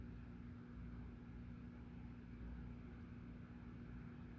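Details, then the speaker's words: Hunter "The Original" 42-inch white ceiling fan, model 23827, 3-speed, tested on capacitor rig with amp meter; smooth even low hum, one steady tone, no ticking or rubbing; judged almost silent, normal motor hum. "Very interesting. Very slight hum from it. Yeah, that's like almost silent."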